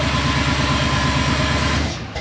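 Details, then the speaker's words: 1957 Chevy wagon V8 with the old cam, before the stage 2 cam install. Cold rev right off the start: lumpy, loud, rhythmic chop that eases off; normal. "All right, guys. We can hear what it sounds like now. Obviously, that was like a cold rev right off the start."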